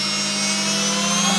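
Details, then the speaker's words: Secondhand seven-pin washing machine motor on a bench test rig, drawing about 67–70 W at low RPM and about 300 W flat out; steady smooth hum with even high whir. Bearings good, armature not sparking, motor in perfect working condition. "the bearings are in good condition the armatur is not sparking this motor is in perfect working condition"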